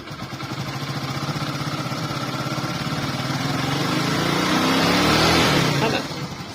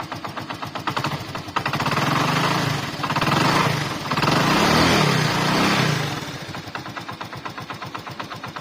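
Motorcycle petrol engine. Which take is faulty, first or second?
second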